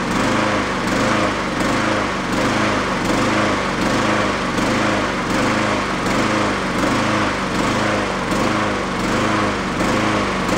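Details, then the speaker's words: Yard-sale Honda mower after fitting a slightly larger jet; swells and sags steadily, about eighty surges a minute, never settling; the larger jet didn't help, hunting from a clogged idle circuit; runs decently on partial choke. "well as you can see I can't get rid of the uh oscillation in it without that idle circuit but there is a point where you run it partial choke"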